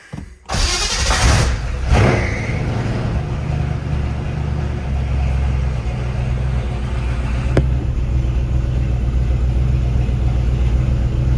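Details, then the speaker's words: V8-swapped Mercedes 240D after replacing fuel lines and -8 AN fittings for a fuel leak: cranks, catches with a couple of revs, then a deep, even V8 idle; runs well, but it still leaks fuel heavily. "God this thing sounds good oh yeah"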